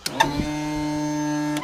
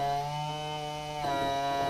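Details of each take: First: Tilt and trim on a 2014 Yamaha 250 SHO outboard after motor replacement: steady electric motor hum with an even whine, running over a second and stopping cleanly while trimming down; normal operation. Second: Power tilt and trim motor on a 2014 Yamaha 250 SHO outboard, 2000 Blazer 202 bass boat: steady electric hum stepping up in pitch, pump spinning freely without lifting; trim unit low on hydraulic fluid, so it won't go up.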